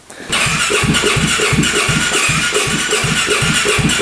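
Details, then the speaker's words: 2017 Polaris RZR 570 UTV bought cheap from a dealer, compression near 50 psi, spark plug just refitted: engine catches and stumbles with uneven chuffing pulses about three a second and exhaust smoke, barely running; fuel pump and valves to be checked. "You can see a smoking out of the exhaust down here. It's trying to start. It's trying to go."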